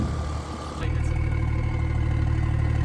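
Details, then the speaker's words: 1000 hp Cummins diesel with hood stack after fixing issues, rail pressure now correct: even low rumble settling to steady beat, no stumbling or hunting; idle much smoother than before, normal. "This thing's idling way better. I don't know if y'all can tell or hear it, but it's running way smoother, idling way better."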